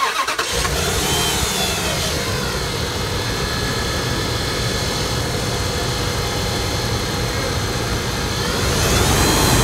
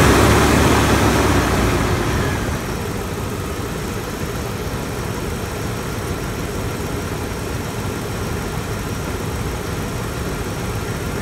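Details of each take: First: 2004 Dodge Ram 1500 idling: constant rough whirring and rumble over the firing beat from belt-driven accessories, vibration felt at the alternator, which doesn't spin freely with belt off; suspected worn alternator bearing. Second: 2004 Dodge Ram 1500 idling after replacing a seized, noisy alternator, the idler pulleys and the belt tensioner: after a brief louder burst it settles into an even, steady idle with no squeal; possible air leak suspected, charging at 14.48 V.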